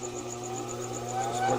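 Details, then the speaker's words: King overlock sewing machine after its noise repair (flange, glued cork replaced): a smooth motor hum rising in pitch as the clutch engages, with no grinding or rattle. The clutch motor is running normally. "pode observar esse barulho dela mesmo. A embreagem acoplando."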